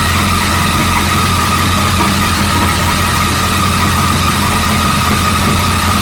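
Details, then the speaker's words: 1937 Buick Roadmaster holding a fast, steady idle with a firm low rumble that won't drop; an unused starter solenoid holds the throttle open too far regardless of idle screw setting and gets disconnected. "adjustment, and it doesn't matter where you set that idling screw, this little solenoid thing is holding it open too far."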